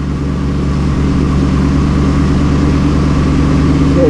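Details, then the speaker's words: Engine with lean codes P0171/P0174 and both long-term fuel trims maxed at 25%: loud heavy idle drone sagging and wavering unevenly, nearly stalling right after the bank 2 oxygen sensor is unplugged; rough idle. "so Sensor 2 and it's almost killing the engine sensor 2 reads 045"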